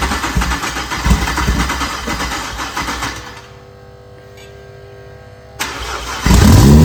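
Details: Freshly built BMW 335xi engine, first start with oil but no coolant, run only briefly: catches quickly, settles to a steady idle, then revs and returns cleanly with a smooth deep note; healthy.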